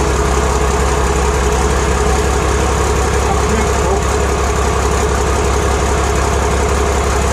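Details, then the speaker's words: Six-cylinder Iveco turbo diesel test-fired after fitting into 1942 M3 Stuart tank, in workshop, no exhaust system yet; deep even idle holding steady, no misses or knocks; successful first run. "fck it out man well that successful D successful running right"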